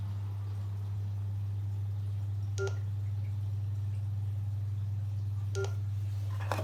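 Short chirping beep repeats about every three seconds over a low steady hum; the vacuum is signalling a fault, cause not identified.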